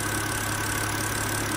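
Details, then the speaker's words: 2006 BMW X3 E83 petrol six-cylinder after replacing the faulty cylinder 3 ignition coil (misfire, code 29CF): steady, even idle with a smooth low rumble and no stumbles, no misfire remaining. "I think you can tell that there's no misfiring all right"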